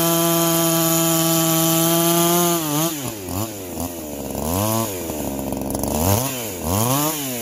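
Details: Freshly ported chainsaw with muffler mod, low hours and good piston, chain just sharpened, warm: high, even two-stroke scream that bogs into the wood and quickly climbs back, clean and strong; normal cutting under load, saw running healthy.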